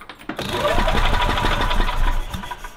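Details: 1985 Club Car DS gas golf cart with a crank/barely-start complaint; fuel pump confirmed working, carburetor suspected. Cranks, catches and runs rough for about two seconds, then dies: won't stay running.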